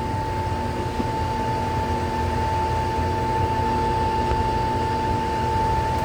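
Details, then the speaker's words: Pool heater with a no-heat fault, start of the heating sequence after checking the wiring: the inducer motor kicks on with a steady whirring hum and a clean, constant high tone, no rubbing or rattle; normal before the igniter glows. "Now you can hear the inducer motor kicked on, so that's that whirling sound that you're hearing right now."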